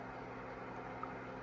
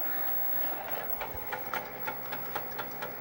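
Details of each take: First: If we listen carefully, you can hear the drive ticking. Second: Rusty Amiga floppy drive (one of two restored, for Amiga 2000s), reading a disk on boot with 3.1 ROM: whirs roughly and ticks about four times a second; doesn't sound great but works.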